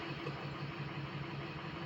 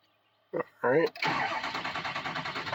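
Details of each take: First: Diesel project truck, warm idle after all 8 glow plugs replaced: uneven, stumbling beat with one cylinder dropping out; trouble building speed, code check shows cylinder 3 misfire, injector suspected, buzz test planned. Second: Diesel truck after all 8 glow plugs were replaced and fault codes cleared. Catches after a short crank and settles into an even, steady diesel idle with no misfire or knock. Normal cold idle.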